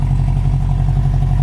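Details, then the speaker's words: 1973 Honda CB350 Four, not yet warmed up, after fresh plugs and fuel: idle screw backed out from its highest setting to the lowest, and it now holds a low, smooth, evenly pulsing idle without hunting. "all right yeah it sounds good now right Yes sounds good"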